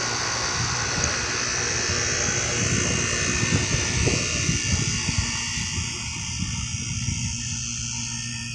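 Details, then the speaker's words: Carrier 38CKB and 38CKC outdoor air conditioners running in cool mode, likely Millennium scroll compressors, units reported shutting down: steady hum, fan whoosh, low compressor drone, no knocks; running normally. "They're both running right now. They both have I'm pretty sure they both have some sort of resip. You can't hear the resep over the buzzing though for this one."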